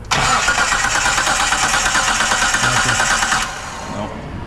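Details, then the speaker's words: 1998 Mitsubishi 3000GT SOHC 3.0L V6 sitting 12 years, before distributor, coil and PTU replacement: starter spins steadily, about three pulses a second, never fires; cranks but no start, no ignition spark; coil suspected. ">> Okay, we don't have any sparks still."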